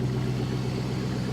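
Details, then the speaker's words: Flood-damaged auction 2007 Chrysler 300 SRT8 Hemi V8, first start after repairs: deep steady idle with even beat, no Hemi tick or tap; fired right up, smooth and healthy. "It sounds great. No Hemi tick at all. That sounds great, man. It is smooth. That is awesome."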